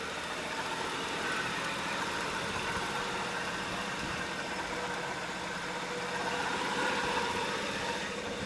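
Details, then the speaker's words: 1968 Pontiac Firebird convertible, number-matching overhead cam six-cylinder, factory automatic, power steering: quiet, even idle with a steady soft hum, no knocks, misses or hunting; normal, smooth running. "Here's the 6-cylinder overhead cam. Power steering. Fire it up now. Super smooth running."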